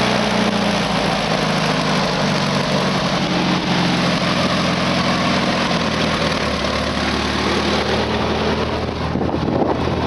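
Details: Engine running after it had been out of gas; even, continuous low rumble at a steady idle for ten seconds with no misses or stalls, idling normally.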